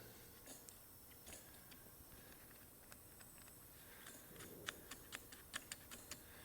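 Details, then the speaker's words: Big Bear ATV four-wheeler that won't crank, after a relay swap and with a newly replaced solenoid. Quiet, uneven single clicks about every half second, with no cranking, and the lights don't come on. Owner suspects poor connections or the switch. "This switch is rough though. I'm not seeing the lights kick on at any point. Let's try jumping it with this solenoid that I just replaced. Nothing."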